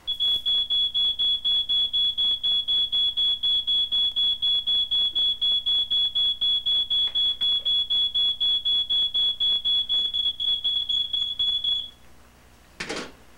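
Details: Smoke detector, reportedly made in 1979, batteries suspected dead: high piercing beeps about four per second, steady for twelve seconds then stopping; alarm keeps sounding, likely from failing battery.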